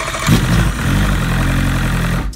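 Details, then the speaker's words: 2001 Evinrude 115hp outboard, on the weaker battery, after lubricating the starter Bendix that used to spin without engaging the flywheel: short crank catches into a steady, even low idle with no grinding; a clean normal start. "if the engine starts it's supposed to disconnect the Bendix and then the Bendix just spins so you don't damage your starter motor"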